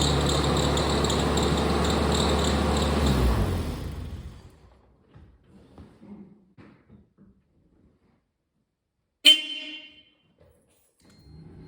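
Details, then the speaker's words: 1997 Geo Tracker at idle with a new lower belt, steady high belt squeal; alternator pulley is very hot while other pulley is cold, so failing alternator bearing, suspected of seizing when warm, drags the belt. "Okay, the alternator pulley is super hot. So that's it. It's the alternator, because the alternator pulley is super hot."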